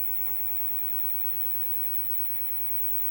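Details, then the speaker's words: Fenton Weill Bass 15 valve amp, replacement GEC EF86 just warmed up, HT 308 V: loud steady hiss across the whole range with low hum underneath, no signal playing; noisy preamp stage. "it's warming up ah it's doing things now I don't know if the Mike's picking the hiss up tremendous amounts of"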